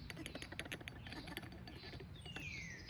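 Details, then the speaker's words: 2010 Ford F-150, old water pump removed and spun by hand: scratchy ticking and brief falling squeak, worn internals; cause of engine whining, found by removing serpentine belt; new pump silent. "once it came unseated definitely hear something internally wrong"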